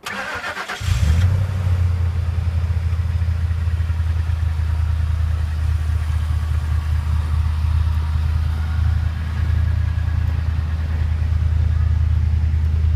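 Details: 2003 Ford F-150 4x4, 5.4L 2-valve V8, cold start after exhaust manifold and timing chain/tensioner replacement: deep idle with a fast, hollow knock underneath, piston slap heard only when the engine is cold.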